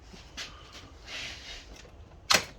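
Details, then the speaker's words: Honda Talon key-on accessory fuse box, key switched on: one crisp sharp click as the accessory power solenoid pulls in and powers the fuse panel, normal; description later advises using a relay instead of this solenoid. "you hear that click? That was a solenoid kicking on."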